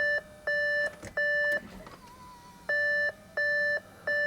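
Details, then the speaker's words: Audi A7 3.0 TDI with newly fitted brand-new engine, ignition on before first start attempt: clean two-tone dashboard chime repeating about every 0.7 seconds with a pause, meaning unknown. "right I hate that noise will you stop it let's do this"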